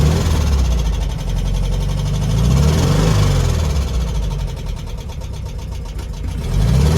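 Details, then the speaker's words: 1972 VW Beetle 1300 air-cooled flat-four, parked seven months then driven six miles, no oil leaks: light, quick ticking clatter over the rumble rising with revs; tappets need adjusting, owner plans a full service. "you need to tap it someone out you can hear that give it a good full service"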